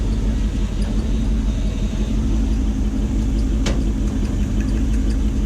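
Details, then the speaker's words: Gen 1 non-VVTi Lexus 1UZ-FE V8 (ex-LS400, EGR deleted, Link Atom ECU) in a jetboat, run briefly without water at night: deep uneven lumpy idle with loping beat about once a second; misfire, running on 6 cylinders, injector plugs being checked. "so I've got a couple of moments just to confirm which cylinder isn't running maybe that one"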